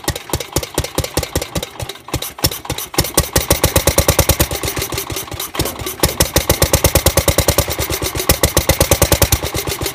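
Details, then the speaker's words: Gravely 430 with Onan NB single-cylinder, newly built crank-trigger ignition, first run on starting fluid after probably about 25 years sitting with varnished fuel: uneven popping, missed and bunched beats; owner suspects timing slightly off or starting fluid. Finding: uneven running. "it was running pretty good the timing sounds like it might be off just a hair"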